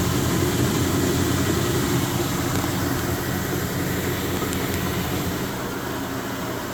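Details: Speed Queen TR washer running: steady churning with repeating knock under motor noise, three or four a second; drive pulley has play on the shaft because the pulley nut loosened.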